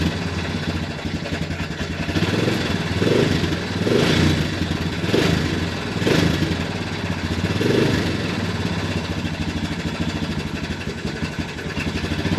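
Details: Early-2000s Honda Recon ATV single-cylinder, after cleaning sludged carb and gas tank: surging and stumbling, revs rising and sagging every second or two, won't idle; owner suspects the carb isn't letting in the correct amount of fuel.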